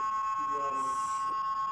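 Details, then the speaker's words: Nokia 150 (TA-1582/TA-1567) phone, call audio through mic: constant high-pitched electronic buzz with chopping helicopter-like flutter, no voice; several mic replacements failed; missing filter capacitors on the mic line. "कोई आवाज नहीं आती। बस ये शोर आ रहा है सिर्फ।"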